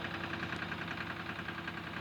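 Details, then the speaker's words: Diesel tractor idle during the injector pipe loosening test: uneven, lumpy, skipping beat with sharp knocks; two pipes change the sound but loosening the number one pipe does not, so the problem lies in cylinder one; dead cylinder. "इसकी एक number से पहले है तो इसमें इसका side change नहीं हो रहा है है तो प्रॉब्लम इसी में है"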